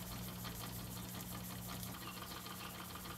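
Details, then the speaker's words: Homemade model oscillating steam engine, repaired after years unused, started by spinning the flywheel: light even chuffing, about three beats a second, over steady hum and construction noise; runs, but too weak to drive the gearbox, burner suspected blocked. "i give the flywheel a little spin and it starts right up it's really good to see it running after so many years"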